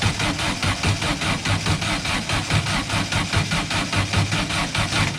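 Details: Silver Volkswagen car just fitted with spark plugs and new plug wires: steady starter cranking, about four beats a second, no firing at all; cause found to be plug wires installed in wrong firing order.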